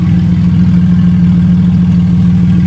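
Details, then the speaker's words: Car after the bell housing, flywheel and starter were refitted, idling with no exhaust; loud, deep, evenly pulsing idle, steady and free of misses or knocks; engine runs fine. "But she's running and she sounds pretty good. [Music] So, after a log struggle, we got her starting. Sounds all right as well."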